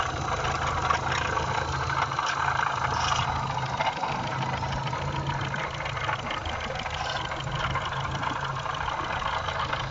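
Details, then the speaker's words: Engine idling with a dull rumbling knock from the front of the motor; cause found to be worn water pump bearing with shaft play; pump, tensioner, idler pulleys and belt replaced. "и так что же шумело в нашем моторе можете нажать на паузу и угадать значит вот натяжитель ролик у нас поменяли поменяли вот этот ролик и вот этот ролик также ремень и помп да вы угадали шумела помпа"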